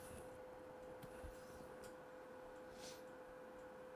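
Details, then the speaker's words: PlayStation 2 before laser lens cleaning: quiet steady hum of the spinning disc with faint scattered laser sled ticks, then it stops; disc not read, dust on the laser lens suspected. "Still spinning for now. And stops. So, it's determined it cannot read any anything on this disc."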